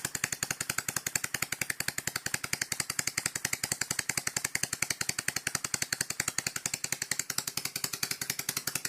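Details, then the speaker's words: Dismantled scroll compressor running on a table, fixed scroll removed, not bolted down, low speed: fast, very even metallic clacking about nine a second; owner thinks it is a bit dry, oil pump only works at high speed. "Give it a bit of a lube up. I think it's a bit dry. The oil pump only works at high speed."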